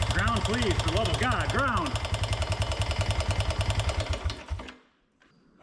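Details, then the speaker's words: 1988 Honda TRX125 Fourtrax quad, single cylinder, just revived after no-spark fix with a replacement CDI: rough idle with heavy regular knock about three times a second until it dies; owner suspects rod bearing or crank problem. "That sounded like Oh, boy. Did that sound like a rod bearing or a crank problem?"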